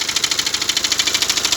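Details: BMW X1 diesel idling with a fast, even rattle about nine beats a second, sharp and metallic up top; points to a failing crankshaft pulley damper.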